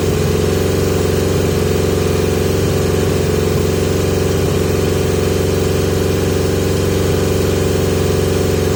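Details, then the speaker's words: 1980 Yamaha XJ650 holding a steady, raised idle that never settles down after carb work with pod filters fitted; the high idle remains and its cause is unknown. "I've still got a idle high idle problem so suggestions please people"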